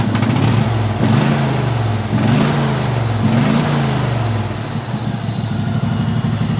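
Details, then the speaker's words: Craftsman hydrostatic lawn tractor V-twin after carburetor rework: three quick throttle blips rise and fall cleanly, then an even, steady run with no knocks or misfires; normal V-twin running. "really do like the sound of these v-twins"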